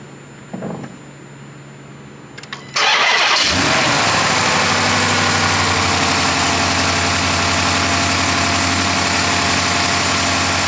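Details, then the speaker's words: Dodge Charger 5.7 Hemi (2012 per hood), cold start after sitting overnight: V8 cranks and catches after a quiet moment, then idles with an uneven, very shaky beat and an extra noise from a misfire. "so as you can see it was running really really shaky and I hear a little bit of a noise sounds like something's going on"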